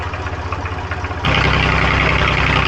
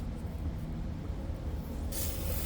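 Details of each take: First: 1990 JCB 2CX backhoe diesel, abandoned and revived, coolant leak patched: starts at once and settles into a steady, even chug of about four beats a second, then shuts off cleanly. Worked an hour with no air drawn in or breakdown; healthy start and idle. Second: 1990 JCB 2CX diesel that cut out after starting: low engine rumble then a sharp hiss as the fuel line is bled, lots of air in the fuel system from a leak.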